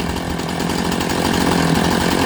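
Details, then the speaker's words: Two-stroke chainsaw, chain set with about 60 thou gap between bar bottom and link top, ticks over at an even, steady buzz with no surging or stumbling; clean, healthy idle. "okay we got a good idle just listen to that"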